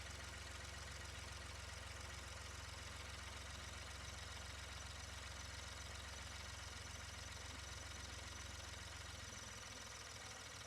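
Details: 2016 Ford Expedition 3.5 EcoBoost after replacing ignition coil six, misfire had been at cylinders one and two: steady, even idle with smooth low rumble and no stumble or skip; runs cleanly.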